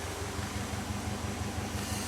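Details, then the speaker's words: Toyota AE86 with Link G4X ECU, previously cranking but not starting: low idle thump with an uneven, lumpy pulse instead of a smooth beat; no fault codes and injectors and coils active, rough idle cause unknown. "I think you can hear it the idol yeah it's not that smooth"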